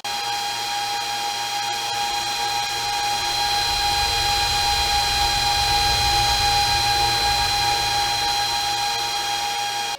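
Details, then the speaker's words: KS5L Kaspa ASIC miner with fans at 100%, measured about 99–100 dB, mic turned toward the unit; loud steady rushing roar with a constant high whine that holds even, then cuts off: normal full-speed fan operation. "All right, so that was pretty damn loud. So I don't know how that sounded until I actually edit this video."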